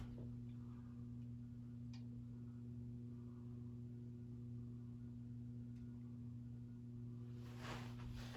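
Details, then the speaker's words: Never-used new-in-box Thomas Industries 38-inch polished brass hugger ceiling fan on low via solid-state variable control, bearings stiff: steady low electrical hum with a firm higher tone, drawing 13 watts, half power factor; pretty hummy motor. "Pretty hummy. See what's it drawing? 13 watts, so half a power factor."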